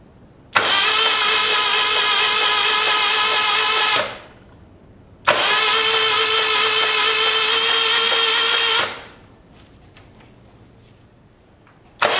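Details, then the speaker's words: 1975 Moto Guzzi T3 parked for five years with fuel left in tank and carbs, after rocking the rear wheel in top gear: two even bursts of high starter whirring, each about three seconds, without labouring. The engine cranks freely and is not locked up. "well that's something Le know it's not locked up too terrible it did turn"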